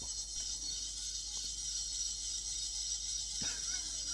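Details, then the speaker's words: Hard drive under test, heard through camera microphones: a thin, steady, very high-pitched whine over faint hiss, no clicking, higher pitched than expected. The drive appears to fail ("that's all she wrote"); cause unknown. "That's a lot higher pitched than I realized it was [laughter] just now."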